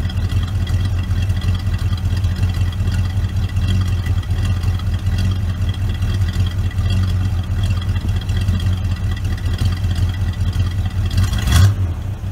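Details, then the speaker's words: 1970 Oldsmobile Vista Cruiser 455 V8, first start, cold on a snowy Wisconsin day, not yet tuned: deep, even V8 burble at a steady idle with no knocks, ticks or misses; sounds good, running normally. "Not tuned, and it's cold. It's a cold, snowy day in Wisconsin. Sounds good though."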